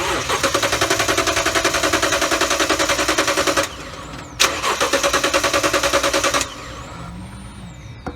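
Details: 2018 Toyota Tundra 5.7 towed in: even starter cranking about 200 compressions a minute in two long bursts, engine never catches; no fuel at the fuel line on key cycle, fuel pump later found bad.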